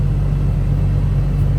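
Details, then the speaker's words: 2005 Toyota Tacoma AC/climate control blower motor, in the passenger footwell under the glovebox, gives a low uneven rumbling hum and vibration; to be replaced. "The air conditioning blower motor in my 2005 Toyota Tacoma is vibrating. So, I'm going to replace it."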